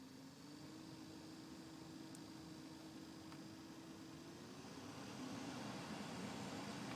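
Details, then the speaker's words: Citroen Xsara Mk2 with air con, engine running, after heater blower motor resistor replacement: steady even fan whir that steps up in speed partway through. Blower running normally across its settings. "For some reason on my car I have to have the engine actually running for the fan to work, and you can just about hear it."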